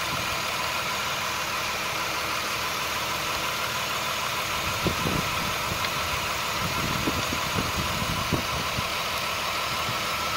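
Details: 2000 Chrysler 300M, 405,000 miles, P0305 cylinder 5 misfire persisting after swapping coil and plug: hissy steady idle starts stumbling and shaking with uneven low thumps when water is squirted on the intake manifold, revealing a vacuum leak.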